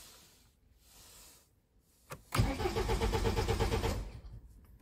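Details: BMW E87 with fault codes 4680, 41AA, 4AFB and start/stop not working: starter spins the engine with even quick compression pulses for about a second and a half, but it never fires; crank no start.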